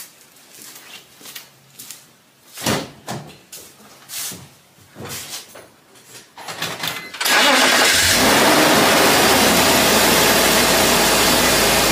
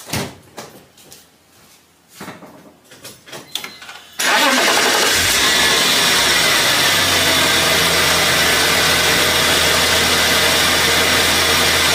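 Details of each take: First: BMW E46 with M54 engine after replacing idler and belt tensioner pulleys: handling noise, then starts and settles into a smooth, steady idle with no belt chirp or squeal. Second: BMW E46 with M54 engine, warm after driving, start then idle: faint continuous whirring hiss from worn AC belt tensioner and idler pulley bearings, louder when cold in the morning; pulleys to be replaced.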